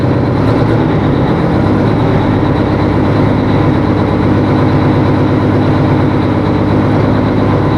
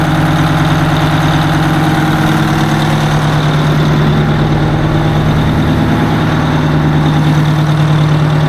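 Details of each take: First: 1980 Peterbilt 359 diesel at first start with fresh batteries: heavy idle with an uneven, lumpy beat, one cylinder dropping out now and then. Owner suspects another lost injector. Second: 1980 Peterbilt 359 diesel, restarted after sitting a while with the fuel rack stuck and old fuel gone bad; big diesel holds a steady, even idle with a smooth low drone and no misses, knocks or hunting, sounding much better.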